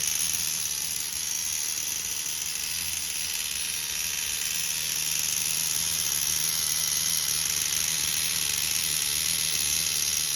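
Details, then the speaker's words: Tamiya TGS-R nitro RC car with an OS 12CV engine, reassembled after being pulled and inspected for suspected rod bearing noise. It holds a high, even, smooth buzzing whir with no misses or surging; no clutch drag, running perfect. "No clutch drag, nothing. Running perfect."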